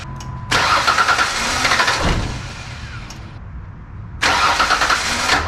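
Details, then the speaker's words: Rebuilt Ford Ranger 4.0 first start: fired once, now two bursts of fast starter churning with no catch. Owner suspects air in the fuel rail. Cause unconfirmed. "it doesn't want to start back up now what's that about there's a little bit of air in the fuel rail maybe that come on baby come on baby"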